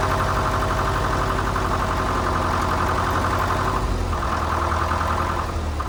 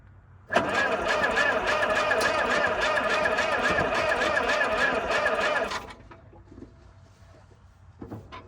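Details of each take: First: 1947 International Harvester TD-9 gas-start diesel crawler, first start in years after magneto rebuild and correcting timing that was possibly 180° out: steady, even low chugging idle, no knocks or misses; normal idle. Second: 1947 International Harvester TD-9 gas-start diesel crawler, third start attempt after magneto rebuild: about five seconds of steady fast cranking with no catch; won't fire, bad battery connection noted, timing later found possibly 180° out.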